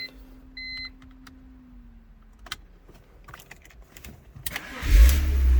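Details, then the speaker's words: BMW 325i with a newly installed starter, shorter than the previous one; owner suspects the bendix sometimes fails to engage the flywheel. In this clip the starter cranks solidly and the engine catches at once into a steady run; normal cranking. "crank that fine cut off hear that cranked up fine cut off crank it back up again [Music] and then it goes cranking up fine"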